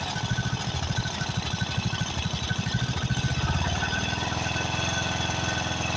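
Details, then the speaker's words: Craftsman riding mower, 13.5 hp Briggs & Stratton OHV single, right after the carburetor was replaced: a fast, uneven, loping thump that hunts at idle; rough running, with the mixture suspected as the cause and a blown head gasket considered. "the first thing got a blown head gasket but it could just be where I have to adjust the fuel uh to a mixture"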